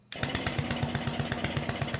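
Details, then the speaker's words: 1970 Yamaha Enduro AT1B, unridden for years, cranked by grounding the starter relay with the switch in run: brisk, even cranking pulses about eight per second with no grinding or slowing; normal starter cranking. "But if we put it into run, uh, the engine should crank"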